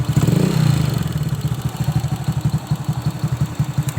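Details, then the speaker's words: Old Honda Supra X motorcycle, clatter from the cylinder head cover when revved, quiet at idle: loose rapid ticking on each firing pulse; loose valve clearance or worn valve guides suspected. "Ini bisa dikatakan klep kendor juga bisa ya. Kalau tidak kendor juga bagian bisnya sudah oblak, bagian bis katup atau bis klepnya itu sudah oblak, sehingga klepnya posisi naik turun itu dia bergoyang, itu juga bisa bersuara."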